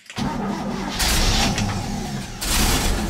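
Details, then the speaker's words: Barn-find 1967 Chevy C10 Stepside, 250 straight six, three-on-the-tree, weak battery: after choking it, it cranks briefly, catches and settles into a steady idle with light revs. Normal engine start. "there we go I'll put a little gas in the carb too I guess the float Bowl was empty"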